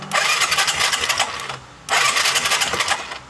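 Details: Skydrive 125 scooter that suddenly died and would not start even after carburetor work: two rough push-start bursts of chuffing, rattling noise that never catch; ignition coil spark strong, no start later traced to a failed spark plug.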